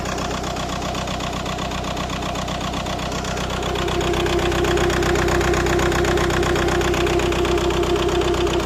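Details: Codes P1666 and P0301, electrical error: rough idle with regular stumble about two and a half times a second and engine shaking; cylinder 1 misfire.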